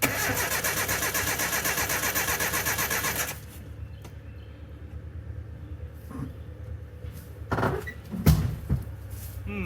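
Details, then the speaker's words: 1984 Nissan/Datsun 720 Z24 four-cylinder, sat abandoned about 20 years, cranked at no throttle: steady starter churn about three seconds, never fires; fuel pump heard clicking and delivering fuel, spark not yet checked. "It's actually sending fuel through the fuel pump. I could hear something click, click, click, click, clicking in there. I was wondering what it was. It's the fuel pump."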